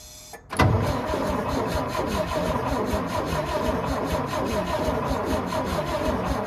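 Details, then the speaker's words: Antique International winch truck left sitting in the woods, gravity-fed fuel to the mechanical pump, starter cranks evenly but it never catches; no spark at the plugs, the ignition coil gets power but sends none out. "right, guys, so as you can see there, not getting any spark to the spark plugs."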